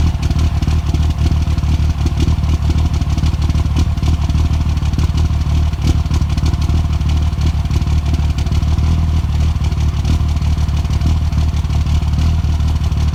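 Deep, lumpy cold idle with an irregular stumble and uneven beat, a few skips per second; misfiring while cold, cause unknown.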